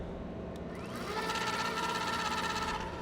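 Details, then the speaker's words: Bafang M600 mid-drive on a Luna Cycles X1 e-bike with peak plastic gear, spun with tire off the ground: smooth steady mid-pitched whir, no clicking or grinding; louder in the air than when ridden under load; normal no-load running. "now what throws people off is when you put the drive in the air that sounds pretty loud right see and it's actually quite louder when it's when the tires off the ground is than when you're riding it"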